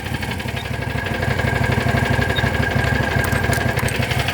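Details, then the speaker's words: John Deere GT225: steady chugging cranking at about three turns a second, never catching; owner thinks he overheated the starter; crank no start, cause unconfirmed. "She's not going to start now. Yeah, it's definitely, nope. She's done. I toasted my starter doing that."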